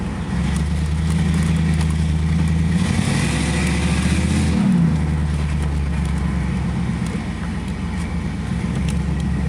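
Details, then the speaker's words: 1986 Chevrolet Camaro IROC-Z V8 after welding the exhaust pipe broken at the Y-pipe fork: deep, smooth rumble swelling cleanly on a throttle blip and settling, no ticking or puffing; exhaust sealed, normal note. "all right so the uh pipe cell fixed up exhaust is uh leak free now so uh we'll give it its first start you'll be able to hear the difference right it sounds a bunch better"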